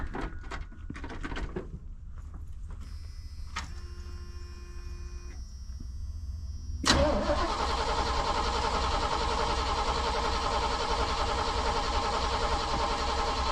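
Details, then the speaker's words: 1988 truck mid long-to-short bed conversion: quiet clicks, then steady starter churn about three turns per second that never catches; cranks no start, suspected out of gas or poor ground. "I think you're either out of gas or you don't have enough oomph. Yeah, that's what I'm guessing."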